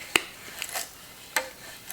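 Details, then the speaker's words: 1997 Suzuki JR50 kickstand swung on the bench during restoration: two short dry gritty rasps through its travel from dirt packed in the pivot, cleaned to stop the grinding. "it's just super gritty and I can fix that really easily"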